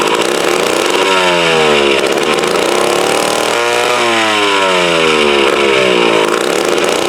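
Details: Mid-1950s Strunk Speed Demon chainsaw (likely the Pro, 24" bar), bar and chain off, unrun since the early 70s. Raspy two-stroke revs surge and sag without holding steady. Uneven running attributed to a carb needing a rebuild kit, ignition good.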